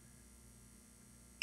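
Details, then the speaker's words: Xantrex pure sine wave inverter, voltage raised on bench supply: after near silence, one short high chirp at 31.6 V, the high battery voltage warning before 32 V shutdown. "Okay, did you hear it chirp? It hit 31.6 and it's chirping."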